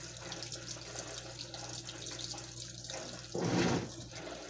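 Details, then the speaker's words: Washing machine on Heavy Duty cycle with all options, initial stain treatment with unusually little water; steady low pump hum under gurgling, sloshing bursts. Recirculation pump straining from low water level. "You can hear the noise the recirculation pump's making, and it's not too pleasant. It's not happy at all. This is seriously low because of the fact the pump is struggling hard."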